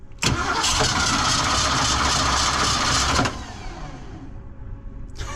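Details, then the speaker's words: 1982 Ford F-150 302 V8, manual, neglected rusty fuel system, fuel drained: starter cranks about three beats a second for three seconds without catching; owner suspects fuel has not primed yet, unconfirmed. "I'm not seeing any fuel. That's not good. Contact. Maybe it's because I drain all the fuel out and it takes a while to prime."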